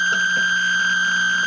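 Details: Atari Centipede cocktail arcade cabinet after reassembly: constant high-pitched electronic alarm tone with a faint low buzz that never stops, caused by a shorted slam switch.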